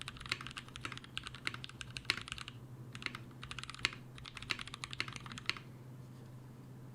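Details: Mechanical keyboard switches lubed with a Brazilian laser-printer fuser film sleeve grease, T2+T3 mix, tested as a possible Krytox replacement; soft, even keystroke clacks in quick bursts, no scratch, ping or rattle, smooth and well lubed.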